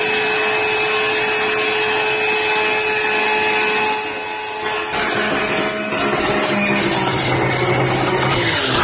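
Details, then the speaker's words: Very noisy home juicer running on carrots, apple, celery and spinach: loud steady high-pitched motor whine with constant shrill hiss, pitch shifting slightly under load, sounds like a locomotive. "so I'm gonna turn it on it's like a local mode and it's really really loud"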